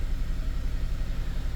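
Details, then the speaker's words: 2006 Honda Element K24 with code P0301 and a flashing check engine light, idling rough with a dead miss on cylinder 1; coil and spark plug were ruled out, and an injector swap confirmed a faulty injector. "So, as you notice, it's running pretty rough, and we've got a flash and check engine light here."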